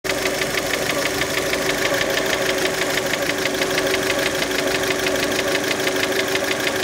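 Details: Fiat Panda engine, warmed up and being revved: sharp, regular metallic knock about three a second, clear above the running engine; internal engine knock, origin uncertain.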